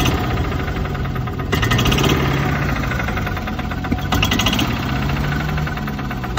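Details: Club Car gas golf cart engine surging, speed swelling and dropping instead of holding steady, despite clean carb, new plug, replaced fuel system; runs fine sometimes, owner suspects rev limiter.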